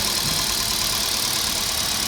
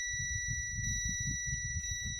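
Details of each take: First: Kia Picanto with check engine light and P0303 cylinder 3 misfire, after part replacement: even, steady idle with no stumble or skipped beats; check engine light cleared on its own, misfire gone. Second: Kia engine idling rough and shaking, with an uneven stumbling beat under a steady high warning tone. Fault code P0303 points to a cylinder 3 misfire, and the wiring was found broken by earlier work at another garage.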